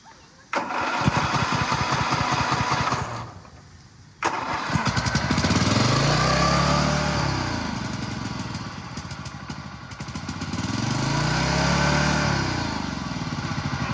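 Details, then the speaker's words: Toro Z5000 TimeCutter zero-turn mower, Kohler Courage 21 engine, nothing powered and belt not moving: catches and roars, swelling and sagging in slow waves at a high pitch, seemingly 100% throttle open; engine running at full throttle, owner judges it a bust. "It definitely feels like it's just, like you said, it's completely open, 100% throttle. Like, it doesn't need to be that much."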